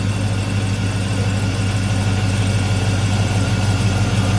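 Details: 5.3 Vortec V8 idling just after fuel injector replacement (Corvette fuel filter, rerouted lines), fuel pressure about 60, still warming up: smooth, steady low idle with no misses, ticks or stumbles; running all right, normal idle.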